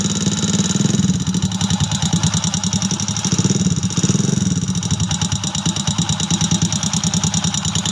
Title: piston slap rocker arm cam bearing #shortvideo #shorts #short #youtubeshorts